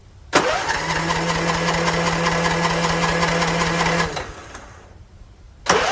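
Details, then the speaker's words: Non-running Troy-Bilt TB42 lawn mower with new battery, new key, fresh fuel, choked: starter turns engine over evenly about four pulses a second, never catches, cranks again; cranks freely but no start, spark check next. "Okay, so the engine spun freely, so we need 3 things for the engine run. We need spark, fuel, and compression."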